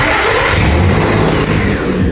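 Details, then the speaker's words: 2010 Nissan Frontier with over 240k miles at start and idle, no check engine light, RPM previously fluctuated when the crankshaft sensor was out: catches and settles into an even, steady idle with no stumble or hunting. "Well, first I started the truck up and everything seems to be pretty smooth."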